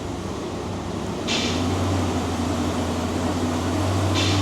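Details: 2002 Chevy Silverado 2500HD 6.0 4x4 driving after rebuilding the rear differential bearings and fixing a damaged pinion flange: steady low road hum, no gear howl or whine rising with speed; differential now quiet.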